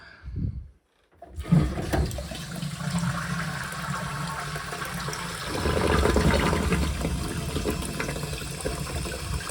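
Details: Toilet syphon flush just after replacing the syphon washer on a toilet that would not flush; a clean rush of water, then steady draining wash and refill. Flushes properly after repair.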